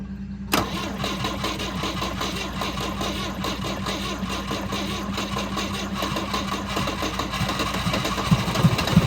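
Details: 1971 Volvo 142, B20B engine, 32/36 carburettor, fuel just added: it starts abruptly, then a loose, uneven idle with faltering pulses. It won't stay running; owner suspects a clogged carb needing adjustment or a rebuild.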